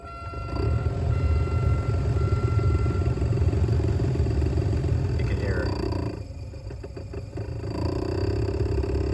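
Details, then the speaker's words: 1998-2002 Oldsmobile Intrigue HVAC blower motor running before replacement, very noisy; low rough growl with uneven flutter at steady speed, briefly easing then returning; worn blower motor bearings. "making a lot of noise. Yeah, you'd rather not have your blower motor sounding like that, right?"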